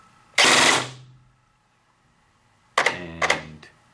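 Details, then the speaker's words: VFC SCAR airsoft AEG with Kong Power Burst Wizard MOSFET, trigger held in burst mode: a long buzzing volley, then short rattling 4-round bursts each stopping cleanly; burst control working normally. "So as you can see now, if I pull the trigger and hold it, it just does a, in this case, 4-round burst."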